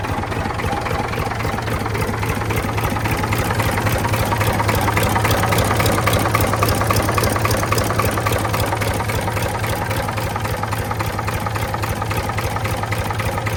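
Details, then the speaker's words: Previously seized Ford 4000 tractor diesel, first run after freeing: steady idle with deep throb and fairly even tapping, a bit clattery and loud; unclear if normal for model – noisy engine running. "Um, it is a little bit noisy. But I don't know if that's how Ford 4000s are supposed to sound."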